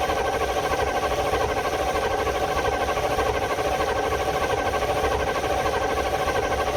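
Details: Field-find truck, unstarted for about 3–4 years, on its first start attempt: long, even churning crank with a steady rhythm and no catch, the engine turning over freely; good oil pressure shown afterward.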